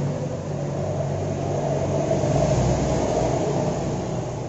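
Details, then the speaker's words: Yamaha Jupiter Z that won't idle, starts hard and fouls its plug black: uneven, stumbling idle with a lumpy low beat. The faulty vacuum fuel tap lets petrol into the vacuum hose and straight into the manifold, running the engine rich. "jadi ini masalah berpenyakit itu sumbernya dari sini ke The Cranberries in atau keran vakum menikah bermasalah"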